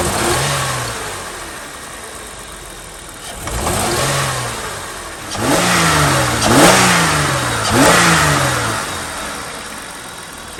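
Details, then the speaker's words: 2003 Holden VY Commodore 3.8 V6 after replacing all ignition coil packs (one had a very rusty terminal; MAF cleaning hadn't fixed rough acceleration): several clean blips rising and falling smoothly, no stumble or misfire; normal revving, fault fixed. "pretty smooth to me i'm gonna call that a win so there we go that's what it was it was our coil packs"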